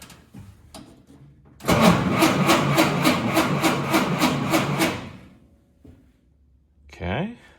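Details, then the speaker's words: Home-rebuilt F-head engine in a seventy-year-old Willys CJ3B Jeep, newly installed, no coolant, new clutch: even cranking about three and a half turns a second without firing; starter turns the engine normally. "I don't have coolant in it, but I think I'm gonna try and just crank it over and make sure the starter works."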